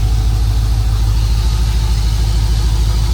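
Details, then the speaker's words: Car idling after replacing failed crank position sensor and upgrading to Aeromotive fuel pump and Fuel Lab filter; fuel pressure 58–60, no leaks; smooth even idle, pump no longer high-pitched and dying-sounding, running healthy. "the fuel pump sounds better too the fuel pump always sounded really high pitch like it was running out of voltage or it was just dying out this sounds a lot better"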